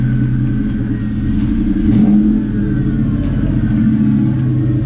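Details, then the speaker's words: 1998–2004 Mustang GT V8 with high-energy cam, after fixing the P0357 code: deep, lumpy rumble with clean, even rev rises and immediate throttle, no popping, stumble or misfire as before the repair; ignition firing properly. "you guys hear the exhaust. That's how it's supposed to sound."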